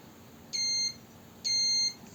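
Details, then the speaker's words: Apple Mouse A1296 repair, multimeter continuity test across the click-button pins: two clean high beeps of about a third to half a second on a quiet background; the click switch closes normally when pressed. "So click button is connecting under those pins, and when I press I hear that it connects just fine."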